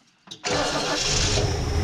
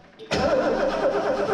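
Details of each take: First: Barn-find Lincoln Mark III V8, parked for decades, first start after sitting, bad accelerator pump: catches and settles into a steady even idle, then a smooth rev blip and return; running well. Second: Lincoln Mark III barn find, unrun for years, after a rusted starter wire was replaced: starter spins the engine steadily but it never fires, with no spark; bad coil suspected.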